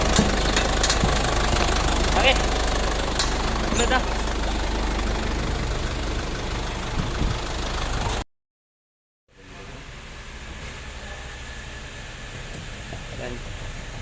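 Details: Idling car with a fairly regular knocking tap about three to four per second, voices over it; cause unknown.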